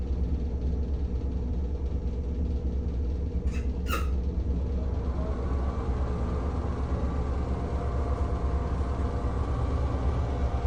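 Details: NuTone 696N basic exhaust fan caked with dirt: low steady drone with rough uneven rumble and faint squeak from worn motor bearings.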